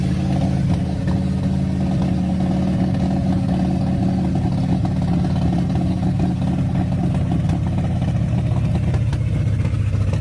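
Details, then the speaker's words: Old car revived after sitting, wasps possibly in exhaust, sticking throttle plates: low uneven engine rumble with scattered light pops and clatter; rough running, owner suspects carburetor needs work. ">> You got a little popping going on there."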